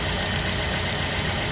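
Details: Buick Encore Ecotec after coolant temperature sensor replacement (code P00B7, false overheating gauge, hard starting), no coolant leaks: even steady idle hum, no knocks or misses; normal healthy idle.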